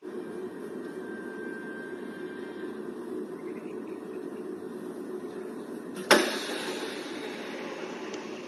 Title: AC BERBUNYI MELEDAK-LEDAK atau MENDESIS.....ini tipsnya